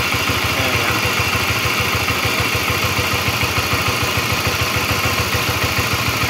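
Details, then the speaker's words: Honda CB-series motorcycle (CBX/CBR/New CB): fast idle with dry rattling clatter over the exhaust beat; a screwdriver on the tensioner bolt spins by itself, indicating a worn cam chain tensioner. "Oke berarti ini gejalanya si litter ac-nya udah mulai ee kurang bagus gitu ini untuk yang suaranya kasar"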